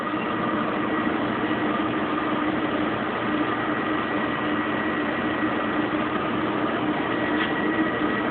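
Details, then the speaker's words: Kenmore Oasis top-load washer being repaired for OL code, 6 minutes left, spin in high gear with pump on: steady even hum, constant low whir as RPM climbs, no knocking or scraping; spins smoothly at top speed, stand vibrating slightly. "I can hear it really starting to spin up. Still spooling up. You can hear the RPMs increasing. She's really going to town now."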